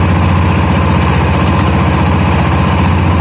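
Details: 2013 Honda Beat scooter with overheating, slipping and stalling complaint, after cleaning and lubricating dry, dirty CVT components: even steady idle with soft low hum, no rasp or rattle from belt drive; CVT runs smoothly.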